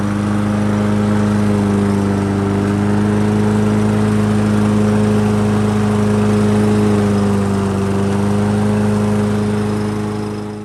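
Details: Toro lawnmower with a Briggs & Stratton engine that ran rough and was hard to start, after its plastic carburetor was reinstalled: it holds a strong, even note with steady firing and no surging or stumbling. It runs clean and healthy.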